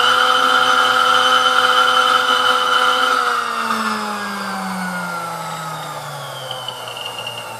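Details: Sunbeam Mixmaster Model 11 after service, field coil pulled and leads extended: smooth, even motor hum dropping steadily in pitch as speed is turned down, no rattle or grind; full range of speeds, runs good.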